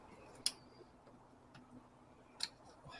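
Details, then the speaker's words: 2000 Isuzu Trooper/Bighorn/Jackaroo 4JX1 diesel, injector click test through the scan tool diagnostics: two light, sharp, thin clicks from injector four, compared with normal clicks from injectors 1–3. Weak click, and injector four is suspected but not confirmed. "and get to four and the weak click so I'm suspecting that injector four might be the issue"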